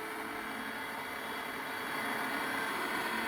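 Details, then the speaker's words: Clack CI valve on a simplex water softener being put into service: regen held in to flush with the bypass inlet open and outlet closed. An even motor whir with faint regular ticking as the valve drives round: normal start of regeneration. "Then you will flush, you put regeneration, hold it in. You hear the system now is regenerating."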